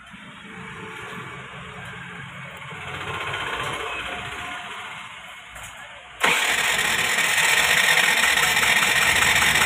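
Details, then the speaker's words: Scooter with spark and clean plug still won't start after oil in cylinder: starter spins fast and evenly, about four beats a second, never fires; tappets too tight hold valves open, no compression. "लेकिन अभी भी यह start नहीं हो रही है अब इसमें आपको एक चीज बताता हूं इसमें दिक्कत क्या ए रही है क्या मतलब किस वजह से यह स्टार्ट नहीं हो रही है"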